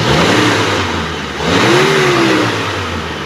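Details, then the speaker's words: 2014 Mitsubishi T120SS 1.5 injection pickup, about 60,000 km: engine revved to 3,000–4,000 rpm, drops and revs again with even rising pitch, no knocks, rattles or odd noise, no exhaust smoke; normal. "oke ya kita geber di RPM 3000 4000 aman dia gak ada ngasep di bagian knalpot jadi mesinnya oke terus putaran tinggi juga oke suara juga gak ada yang janggal"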